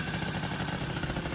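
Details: 1980 Yamaha Champ 49cc oil-injected two-stroke scooter after new cylinder and piston kit: quick buzzy putter holding a steady idle without stumbling or dying; engine running fine, broken throttle still to be replaced.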